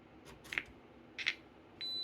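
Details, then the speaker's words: Vintage Macintosh logic board on repair bench: two faint clicks then a thin steady high-pitched tone instead of a startup chime, changing when a hand nears the ASC sound chip; suspected floating address, data, chip-select or DMA line to ASC; abnormal startup sound. "with how strange the sound is acting it's just I've not run into that before"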